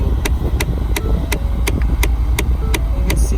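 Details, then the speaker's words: 2014 Ford Fiesta SE 1.6L, A/C blowing cold both sides: steady sharp clicking about three a second from behind the glove box at idle, from a failed blend door actuator whose teeth mark no longer lines up, so the blend door is jumping. "now with the new one you can see the teeth mark it should be lined up with the arrow that's the original position and this one's completely off it's dead so that's why it's making really weird noise"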